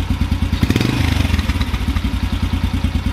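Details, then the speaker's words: Carbureted motorcycle single with the idle mixture screw 1.5 turns out, idling rough. It thumps about ten times a second, and after a quick blip the revs return to idle slowly, showing the idle mixture is still lean. "the amount of time it takes for the RPMs to return back to idle is a little bit delayed"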